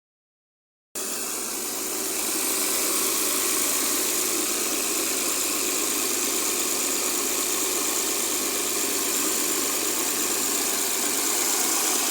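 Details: Mercedes W212 with M272 V6 at idle: a light, regular clack of about three per second over the engine, which the owner thinks comes from one area of the engine; the source is unknown.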